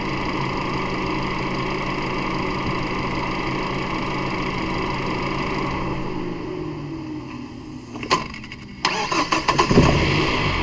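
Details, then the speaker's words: 2006 Mazda 3, about 150,000 miles, auction car, head gasket blown between cylinders: runs, winds down, then cranks with lumpy uneven beat from low compression in cylinder one. "Not sure I would have showed up, but you can hear an obvious drop in the cylinder pressure. But I mean, from experience, I mean that's what you'd be able to hear if there's a cylinder low on pressure. It wouldn't sound flush."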